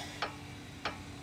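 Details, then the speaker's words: 2008 Honda Odyssey with a clunk when turning: crisp, regular clacks about every two thirds of a second as the sway bar end link is worked by hand, showing play in a worn link that needs replacing; the other side seems fine. "that's the sound so needs a new way were link yep"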